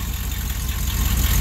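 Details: V8 truck idling after an exhaust header setup: a deep, even burble with regular exhaust pulses and no chuffing, misfire or ticking. The idle sounds healthy.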